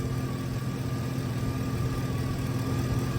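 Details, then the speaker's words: Hurricane Ian flood-damaged Silverado, possibly a 2006, from Key West at a Copart auction, with coolant slightly low. Possibly a small misfire on the initial start, then a steady, even low V8 idle rumble with no misses or knocks; it sounds healthy. "the engine doesn't sound too bad might have had a little misfire its initial start but"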